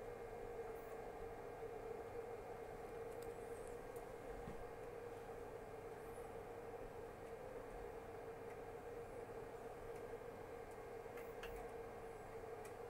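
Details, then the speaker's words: Artillery Hornet 3D printer with TMC drivers printing, bed 70 °C, nozzle 210 °C: only a soft steady mid-pitch hum, mainly the rear case fan, no grinding or clicking; quiet, healthy print. "Elle est très silencieuse. Ce que vous entendez, c'est principalement le ventilateur du boîtier à l'arrière. C'est vraiment pas dérangeant."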